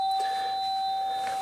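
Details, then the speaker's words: Mains AC musical doorbell, pressed and released: the coil's magnetic field pulls the plunger down to strike the lower plate ("ding"), and on release it hits the upper plate ("dong"). A clear, steady chime fading slowly, with no buzz or rattle; normal. "aquí todo normal parece que al aplicar una corriente alterna en este caso se produce un campo magnético en el sol y no hay de atrae al émbolo el émbolo baja hasta la lámina inferior hace el dim y luego al soltarlo golpea la lámina superior y tenemos el don"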